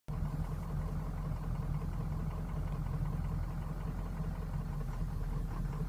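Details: 2003 Ford Excursion 6.0L Powerstroke diesel, suddenly running poorly over two days: low, uneven, lumpy idle that never settles; idle worsens as it warms, stumbling or stalling, hard hot restart, starts well cold; cause unknown.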